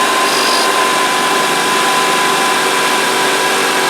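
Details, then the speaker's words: 2004 Honda Accord engine idling after drive belt tensioner assembly replacement: steady even hiss with a faint constant whistle, no buzzing when checked with a screwdriver as stethoscope; tensioner now quiet, normal. "okay so that's it is nice and quiet now all right so that's it we'll shut this off"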